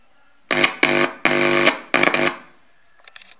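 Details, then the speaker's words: VASP Electronics TDA2030A two-channel amplifier board: four loud buzzing bursts through the speaker as a metal screwdriver tip touches the input terminal, showing the amplifier passes signal and works. "As you can see, it's working. As you can hear the buzzing and noise."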